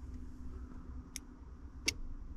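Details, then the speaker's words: Two crisp clicks under quiet idle hum as high beams are switched during testing of a newly wired relay (power feeds not yet connected); relay pulls in properly, wiring correct. "entend bien le claque, le relais marche bien, tout est bien branché."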